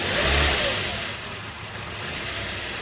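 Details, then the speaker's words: 2010 Toyota Corolla, after repair: the engine fires, revs briefly with gas, then settles to an uneven idle; owner says every couple of months it fires and dies on start and needs cranking with some gas, a hard start. "Like every couple months you'll go to start it and it'll fire and it'll die and you got to crank it and give it some gas."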